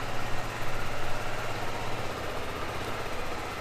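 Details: Suzuki Burgman 400 scooter from a collection, full tank of fuel, idling after start: low, steady putter with an even beat and no knocks or rattles; a healthy idle.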